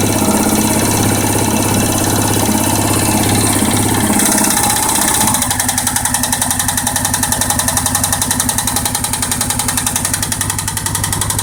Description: Suzuki king quad 700 top end knock after rebuild